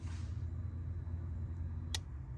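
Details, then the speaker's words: Pump priming at key-on, driven through a relay by a FuelTech negative-pulse output with a timed, factory-style prime: low steady hum, then one sharp relay click near two seconds as it shuts off; normal prime cycle. "ele é um pulso negativo que a fueltech comanda bomba de combustível tá no caso ali tá escrito nela e eu fui procurando escutou e temporizada tá padrão original você escuta até o relé clicar vou desligar e vou ligar ele vai clicar vai parar"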